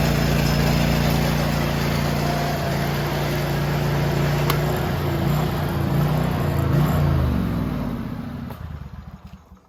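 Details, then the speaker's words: John Deere tractor with snowthrower, after fixing a worn, bent-down metal piece that made the drive belt pop off every few seconds: steady clean engine drone, no slapping or chirping, then smooth wind-down; running normally. "now that we have that solved and the belt's staying on, I can finally get my shower and go to bed."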